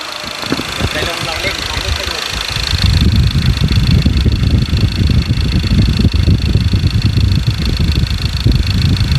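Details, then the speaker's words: 2.2 diesel after injector repair, free-revving unloaded before road test, checking for flutter or knock; engine blips up and settles to steady even rumble with no knock or flutter; normal free revving. "เดี๋ยวเราจะไปทำทำการทดลองเร่งนะครับว่าเสียงเครื่องมันจะกระพือมั้ยเสียงเครื่องจะมีการเขกมั้ยในขณะอ่าเร่งตัวเปล่านะครับ"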